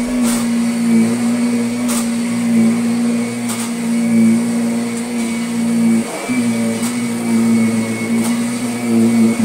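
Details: Kirby Sentria 2 vacuum on carpet after replacing the very slack tech drive belt that caused odd noises: steady motor drone with soft ticks at each change of direction, no grinding or slipping; the self-propel drive sounds healthy.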